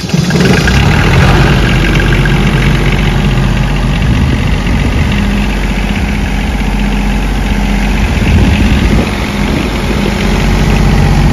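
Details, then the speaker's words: PRAMAC GSW10 diesel generator running after a bad cranking relay that caused a start-fail alarm was replaced: a deep, even diesel rumble with no misses or knocks; a smooth, normal idle. "and there you go the generator cranked started and it's run"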